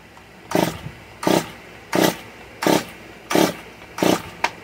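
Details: Stihl MS 194 T chainsaw on choke, after priming the bulbs: short bursts of firing about every three-quarters of a second, each dying straight away; it catches but won't keep running, and the owner removes the choke, fears it is flooded and rechecks the spark plug. Cause unconfirmed.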